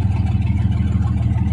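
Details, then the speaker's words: 1989 Jeep Cherokee Pioneer 4.0L I6 (AW4, NP231, Renix) idling after a new CPS and a new vacuum line, before the MAP sensor swap: a steady, even low rumble with no knocks or misses; the idle is maybe slightly lower. "actually it sounds like an Idol's a little lower I don't know works for me"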